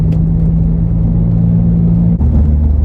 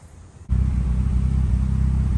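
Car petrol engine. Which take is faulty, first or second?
second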